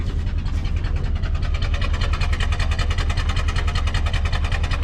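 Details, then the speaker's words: Old formerly seized Ford engine, freed after soaking, firing and running briefly with heavy uneven chuffing and loose clattery knocks over a rough idle; poor running. "squeeze my G's and we'll see if if we fire and run for a little bit it's doing it it sounds healthy not really but uh"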